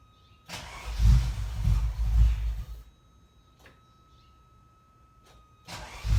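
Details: 1987 Ferrari Mondial 3.2, cold engine: two bursts of slow, labored cranking with no catch; hard cold start because the cold start injector gets no power, its wire having been removed from the starter switch connector.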